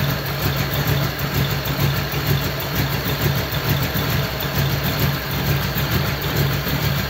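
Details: Model A roadster's old V8 (about 276 cubic inch, 4-inch stroke) idling after a year under a tarp, electric fan removed so it is run only briefly, generator belt misaligned: an even, steady low rumble with a regular pulse, no knocks or misses, normal.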